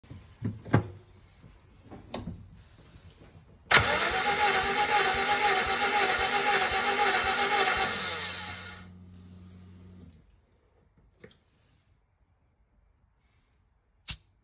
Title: Daihatsu Hijet Pick up Kei truck low compression